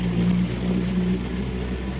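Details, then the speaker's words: 1976 Johnson 6 hp outboard after carburetor cleaning, running at full throttle with the cowl on: rough, sputtering, smoky, won't rev out to top speed. It runs smooth at full RPM with the cowl off; owner suspects an exhaust leak. "Full Throttle and the smoke comes back and there's no way that thing ribbon top speed"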